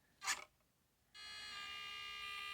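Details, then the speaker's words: FMS Atlas 6x6 RC crawler, stock motor: after a click, a steady high-pitched whine at light trigger with the wheels not moving. Loud stock motor whine at low throttle; owner wants to upgrade the motor. "you can hear it whining just by pulling the trigger a little bit it's not even moving"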